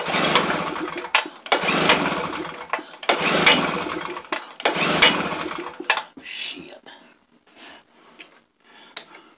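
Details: Tailgator small engine that ran a couple of times when first got, then sat about three weeks: four quick pull-start bursts about a second and a half apart, each dying at once; cranks but won't fire, cause unknown.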